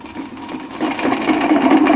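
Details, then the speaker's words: Homemade electric spinning wheel motor at relatively slow speed: a whir rising in pitch with gritty chatter as the balls of a worn ball bearing collide despite grease; gets louder at higher speed. "so this is the noise that it makes also because of the moving parts but mainly because of this ball bearing there's a you can actually hear the balls inside colliding because no matter how much grease i put in here is not enough so"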